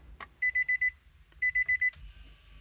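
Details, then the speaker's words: 2017 Nissan Armada with the brake switch removed: fuel pump primes, then two sets of four quick high beeps about a second apart and "push brake" warning while doors lock and unlock; no-start because the brake switch is not detected. "you hear the pump prime. It sits here. It says push down the brake. Doors lock. It goes back and forth. Doors unlock. I don't know. So that's with the brake switch out."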